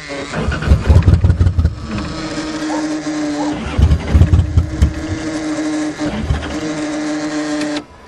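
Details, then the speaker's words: 1982 Toyota Cressida, 246,000 km, first start after sitting: cranks in bursts, catches briefly with ragged uneven firing, then stumbles and dies; owner suspects fouled plugs, fuel pump issue mentioned. "Come on, you can do better than that. Well, it sounds like it's having a hard time."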